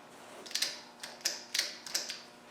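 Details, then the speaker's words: Land Rover 200/300Tdi starter motor bench-wired with a makeshift switch: sharp metallic clicks are the injector pump solenoid, but the starter doesn't turn at all. "Now, the clicking you can hear is a solenoid on the injector pump, but this has got nothing."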